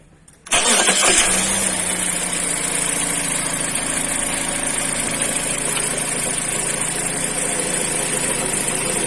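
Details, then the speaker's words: Mazda CX-5 2.0 Skyactiv petrol, automatic: engine cranks and catches into a busy idle with a light rapping knock at the engine-to-gearbox joint; cause found after removing gearbox: flexplate cracked around its circumference and under the ring gear. "присутствует такой интересный звук вместе установки соединения коробки и двигателя"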